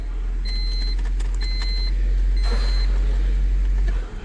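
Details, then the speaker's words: 1999 Honda Civic manual with intermittent stalling after about 20 minutes of driving: steady idle with repeating chime, then engine cuts out abruptly when the key is jiggled and dash lights go out; bad ignition switch. "we just got a bad ignition switch here half right yeah now now it just cranks stalls and then that's it"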